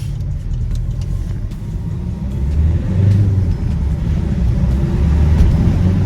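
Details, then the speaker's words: Vauxhall Insignia after fixing a leaking, loose EGR valve pipe: deep engine rumble swells smoothly under throttle with no hiss or whoosh that earlier sounded like a boost leak; car feels quicker. "and the car feels way quicker as well guys"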